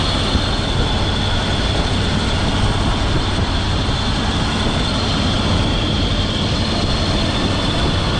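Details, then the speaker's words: 2002 Dodge Durango R/T started after water pump replacement, idling: loud, steady rough whirring roar of constant pitch, no knocks, from a worn A/C compressor clutch bearing; A/C to be bypassed with a shorter belt. "so currently uh you can hear the bearing making a lot of noise but it's just so we can check for leaks"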